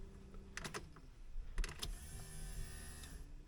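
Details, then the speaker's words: 1979 Porsche 924 with a replacement Bosch fuel pump: key on gives a click, then a brief steady electric hum of about a second as the pump primes normally. "There now, we'll see what happens if I turn the key on. It's all hooked up there. I put gas in the tank. I don't know what's gonna happen. Oh, the key's right here. Can't get it in. Sounds like the pump's working."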